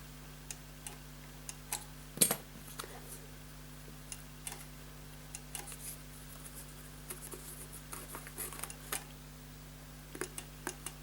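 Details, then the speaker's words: Paper shredder after repair of run-on and overheating faults, reassembled: the paper-sensor microswitch now snaps back normally each time, small sharp irregular clicks over a steady low motor hum. "I just wanna see if this is clicking back yes it is and you can hear it clicking"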